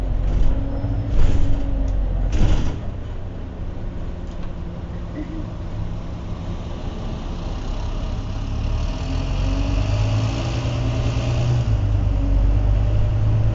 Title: Wright Eclipse Gemini 37669 X Class Gearbox Whining Louder than Usual